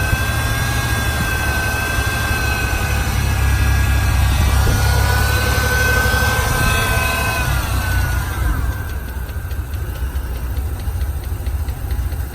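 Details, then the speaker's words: 3.0 V6 from a wrecked Ford Ranger (5-speed) with a lumpy, uneven idle, wavering rumble, faint hiss and hunting revs; owner suspects broken vacuum lines letting it suck air: rough idle. "It's got a horrible idle though. And I'm thinking because all those vacuum lines are broke over there, you can hear it sucking air."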